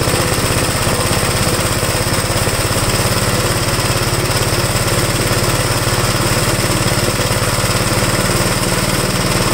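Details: Restored 1969 Gravely single-cylinder tractor, no governor, started choked at about half throttle: fast, even beat with steady exhaust pulses, no misses or knocks; normal running.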